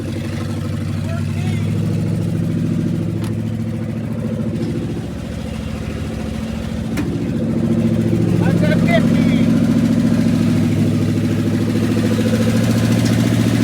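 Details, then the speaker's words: 1969 Dodge W300 Power Wagon, 440 big block, first run after storage: open-header V8 settles into a steady, even idle with deep burble, no tapping, knocking or chirping; healthy, though a new carburetor is planned. "But now I know it's running. It's not tapping. It's not knocking. It's not chirping. It sounded good. It sounded healthy."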